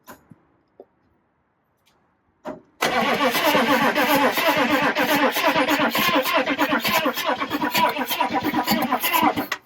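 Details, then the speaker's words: K5 Blazer just fitted with a replacement used Detroit Diesel engine: cranks, fires and runs with a loud, fairly regular clatter of about three knocks a second, and pressure reads 0; engine clatter on start. "We do need to work on that. Your clickety clacking."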